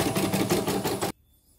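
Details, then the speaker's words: CNY M34 embroidery machine after part replacement. It came in with an unresponsive touchscreen, a loud rough noise and the frame knocking. Now a quick, even stitching clatter at about seven beats a second runs smooth and steady: running normally. "Ini mesin 34 ya, udah jalan. Yang diganti diganti ini, yang diganti kita nanti dites lagi di video lagi pas sudah ditutup. Ini lancar, bagus."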